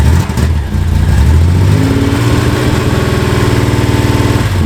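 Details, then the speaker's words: Low, lumpy idle with uneven beat and regular stumble every few firings; misfire at low revs, attributed to a fouled spark plug rather than ignition after the ignition system was checked; smoke worsens as exhaust warms up. "Um, and of course, you can hear that misfire, and that is not caused by ignition. That's caused by a foul plug"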